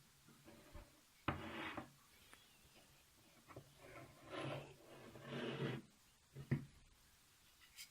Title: eBay CNC rail with a bad bearing block